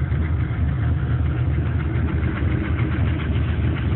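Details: Truck with LS1 V8 block from a C5 Corvette, warm idle after 5–8 minutes running; steady idle with a faint fast tick over the rumble, owner unsure if piston slap or something else; runs strong, no leaks or smoke.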